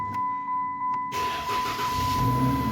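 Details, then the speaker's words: Dodge Challenger in for a parasitic draw that needed daily jump starts, started after sitting: a few soft chimes, then the engine catches at once and settles into steady idle; normal start. "starts right up turning it off now"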